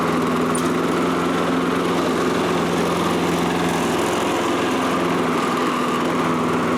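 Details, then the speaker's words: Toro Recycler self-propelled mower made around January 2010, with an auto-choke carburetor, after a simple repair of its no-start fault: a steady, even buzz at constant speed with no surging, knocking or belt slap. Normal running after the fix. "so he's going to have a nice running lawnmower again"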